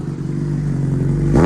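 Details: Yamaha R1 stood long in a garage, mouse damage checked, new battery, loud Racefit exhaust: deep even idle burble then one quick clean throttle blip with no misses or clatter; runs healthy.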